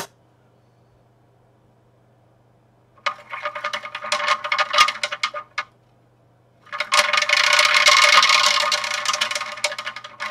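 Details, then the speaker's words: DIY vortex fountain magnetic stirrer: fast rattly ticking about four a second in uneven bursts over low hum, stir bar clattering because the vessel bottom is not flat. "ça fait du bruit parce que le fond il est pas plat"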